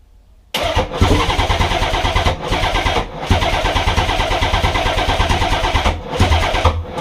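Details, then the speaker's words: Nissan 300ZX twin-turbo, second start attempt after injector and coil pack work, intake piping still off: hard rhythmic cranking about six seconds with surges, wants to start but never fires; owner suspects the missing piping. "But yeah, attempt to fail, but it wanted to start."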